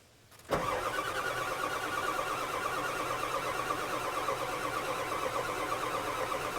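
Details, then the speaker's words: 1997 Ford F350 7.3 diesel that lost power, smoked white and died while pulling a skid steer; steady starter cranking, never firing, as water fills the fuel lines and injection system; owner expects long cranking to clear it. "there going to be a lot of cranking to get through the fuel and the lines the whole injection system is going to be full of water so uh yeah we got a ways to go hope that starter holds out"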